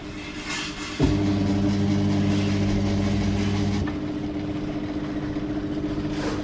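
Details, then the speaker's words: Toshiba 9 kg washing machine in for loud noise under the machine and failing to spin-dry: motor winds up spin with steady even hum, no rumble or grinding, bearings quiet; spin sounds healthy. "แต่ตอนนี้กำลังทำการดันรอบสูงขึ้นเรื่อยๆนะครับของหมดเด้อครับอ่ามีโปรแกรมของเขาก็ค่อนข้างจะเงียบอยู่นะไม่ค่อยได้ยินเสียงลูกปืนนะครับ"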